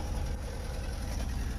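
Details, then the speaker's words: Little blue bug after a quick idle adjustment that lowered a high idle with the idle screw: low, even single-cylinder putter holding a steady idle with no misses or knocks; healthy idle. "i think that's gonna be good okay okay yeah that idol's nice now"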